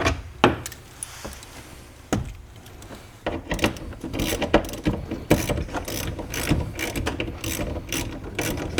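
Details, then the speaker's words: 2011 Mazda CX-9 power window regulator motor whirs with a rapid, uneven ratcheting clatter instead of a smooth drive. The gear is suspected to be stripped and skipping teeth, possibly on the motor side. "So that sound we're hearing is probably that gear just shifting through there Stripping It's out. stripping and it. not catching it."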